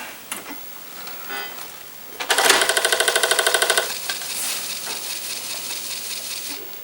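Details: Apple IIgs disk drive reassembled, booting: quick buzzing ratchet of head steps for about a second and a half, then a soft whir; drives seeking normally at boot.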